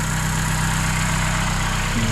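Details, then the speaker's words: Vauxhall Corsa in the garage on a freezing, snowy day, restarted after a replacement starter was fitted. A steady, even idle with a smooth low rumble and no stumbles, knocks or dips; it starts and sounds good. "so it still looks good so it starts again sounds good"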